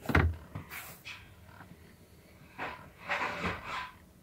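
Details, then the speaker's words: GMC/Chevy truck after replacing the transfer case encoder shift motor, in neutral: short electric whir with light clunks as it shifts into 4 low, then 4 high, 2 high and auto; normal shift motor operation. "Here we go. That's 4 low. 4 high. And 2 high. And auto. All right, everything works."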